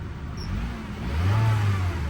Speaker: Engine sounds great. Sounds like a healthy Honda.